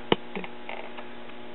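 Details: Late-1960s Pioneer SX-34 tube stereo receiver with noise in the left channel: a low steady hum under faint clicks with no music; audio hum noise, traced near a capacitor and resistor, later found to be a resistor.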